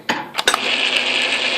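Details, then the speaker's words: Atlas Craftsman lathe after adding more tumbler gear play following the new shim: a couple of metallic clinks then smooth even high gear whir without rhythmic knock; sounds better, lash problem solved. "ah that sounds better doesn't it I think it's sounding pretty good"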